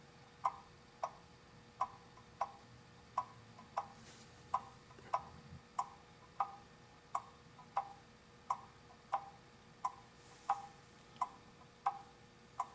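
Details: Antique clock after cleaning, oiling and beat adjustment by bending forward and sideways to centre it; crisp, evenly spaced ticks, about forty-odd a minute, in a quiet room; clock now ticking in beat.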